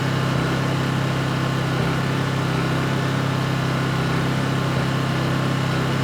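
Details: Honda EU2200i inverter generator, brand new just unboxed, running during a fuel-shutoff test: smooth, even steady hum with constant low drone, no misses or knocks; healthy normal running.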